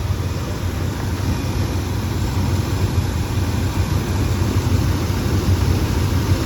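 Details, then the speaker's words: 1974 Chevy pickup, short bed 4x4, factory 454 big block V8 with new fuel pump, alternator, wires, plugs and HEI distributor, warm but not hot start; loud even low burble at idle, steady rhythm, no misses or knocks, runs good. "So fired right up. As you can see, it runs good."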